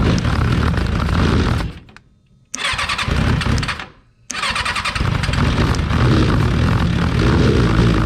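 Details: Freshly rebuilt Kawasaki 636 engine just installed in a car: catches in short bursts and dies twice, then fires and holds a ragged, uneven run; hard start, sputtering, kinks left to fix.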